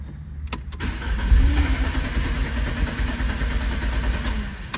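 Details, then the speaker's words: 1993 Lancia Delta HF Integrale: steady starter cranking about four turns a second with faint firing attempts, never catches; no fuel pump sound heard from the rear at key-on, fuel system suspected. Crank no start, likely fuel starvation. "won't do anything. Now, like I said, I'm already suspicious of the fuel system, and when you key on, you don't hear anything coming from back there."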